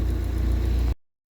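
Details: Hyster S70FT forklift with GM Vortec 2.4 engine, brought in not starting and misfiring with timing suspected, a defective ignition coil found: short burst of low, steady engine note with even pulses, no misses or popping; running smoothly.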